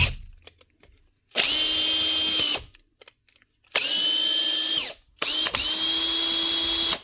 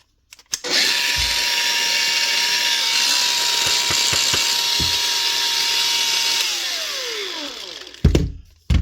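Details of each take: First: 2017 Makita DHP458 cordless drill after new brushes and gear lever springs (had stopped running and slipped out of gear): three trigger pulls, each spinning up to a clean, steady high whine with no grinding or stutter; running normally. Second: Makita DGA452 brushed cordless grinder (2021), low on power and spluttering, brush caps melted on: spins up to a steady but fairly low hum with no bite, then winds down; worn, burnt brushes with melted brush holder.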